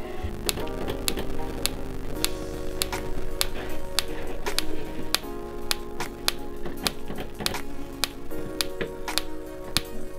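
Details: Igniter on a 30-year-old camper van 3-way fridge, tested before cleaning the electrodes: sharp dry clicks about two per second as it sparks steadily at the burner, normal igniter sparking.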